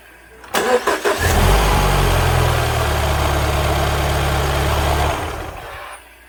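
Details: 2014 Mini R60 Countryman after fixing an intermittent no-crank by repairing the engine ground strap near the right shock tower (starter was fine), original battery: brief crank, catches cleanly and settles into a steady even idle with no stumble; normal start.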